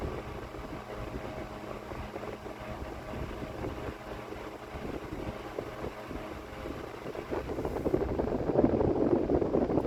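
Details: Vintage mid-to-late-1950s GE Standard "strap" 12-inch two-speed oscillating desk fan F14S125, unserviced, on high with no oscillation: soft steady whir of blades and faint motor hum that stay even; running fine.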